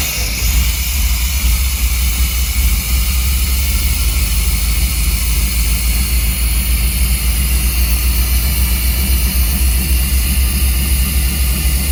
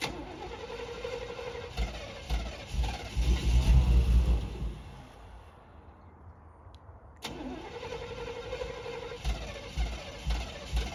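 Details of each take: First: 1990s Chevy 350 5.7 V8 campervan after replacing black fouled spark plugs and cleaning ground wires: steady, even low rumble with no misses or knocks, running smoothly; owner thinks it idles too hot, may adjust timing. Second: 1990s Chevy 350 5.7 V8 campervan: starter cranks in rhythmic pulses, stops, cranks again, never catching; crank no start traced to fouled spark plugs.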